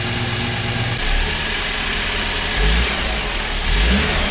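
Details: First run of a freshly rebuilt, previously seized BMW 328i engine, car not fully assembled and drive shafts disconnected: steady, even idle with a couple of light throttle blips, no knocks or ticks; healthy.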